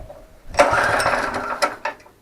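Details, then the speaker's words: ATV flail mower engine, restarted after being tipped up: coughs and sputters about a second then dies, flooded from tipping. "That's because I've just tipped it up. Because I've just tipped it up, I've flooded it now."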